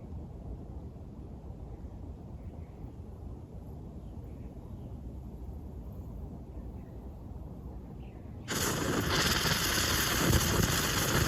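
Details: Restored Coleman 530 camp stove, pumped up and fuelled, preheated until fuel vaporizes: quiet crackling and spitting at first, then a sudden steady loud roar as the burner catches; normal preheat and light-off.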